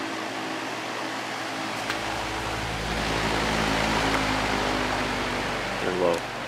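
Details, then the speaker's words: Patton U2-0018 18-inch three-speed high-velocity fan (four-pole PSC motor) on high after blade pitch increase: steady even whoosh and smooth low hum, no rattle; once loudest fan owned, now quietest; normal running. "it's kind of funny this used to be the loudest fan I ever owned and now it's probably the quietest High Velocity fan I own"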